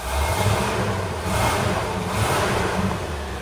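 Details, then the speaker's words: V8 running on LPG at idle, due for a tune with new leads and filters: an uneven, stumbling beat with dropped pulses in the low rumble, a clear misfire that clears when switched to petrol. "it's got a lot of oil pressure according to that it's misfiring pretty bad right"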